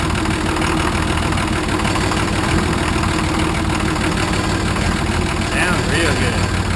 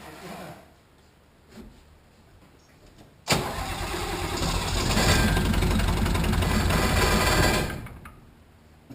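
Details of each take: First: Nissan 33SD turbo diesel in a 1980 International Harvester Travelall, just restarted after oil, fuel and air filter service: steady even idle with low clatter, no knocks, oil pressure up; normal diesel idle, slight roughness attributed to air after fuel filter change. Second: 1980 International Harvester Travelall with Nissan SD33 turbo diesel after oil, fuel and air filter service: cranks, catches and stumbles, dies and catches again, settling unevenly; air in the fuel system causing hard starting, may need bleed screw cracked and priming.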